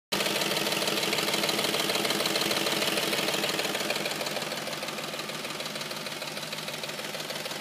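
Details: Audi S4 petrol engine at warm idle makes a loud, rapid ticking/knocking, about three times a second, appearing once the engine is warm; cause unknown.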